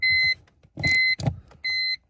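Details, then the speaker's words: BMW E46 325xi M54, keys out: clear high electronic chime, three even beeps under a second apart, sounding endlessly; stops when the EWS3 immobilizer module with corroded pins is removed. "oh look the noise stopped the second I remove the ews module"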